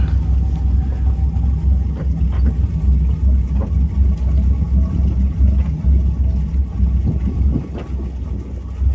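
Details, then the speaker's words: Pacemaker 36 SF boat, twin Crusader 350 V8s after an overheating repair with broken belts and a torn hose replaced: deep, even low rumble with no knocks, smoke or leaks: normal running. "it's satisfying hearing the purr of the twin Crusader 350s I told my kid she purrs like a lion"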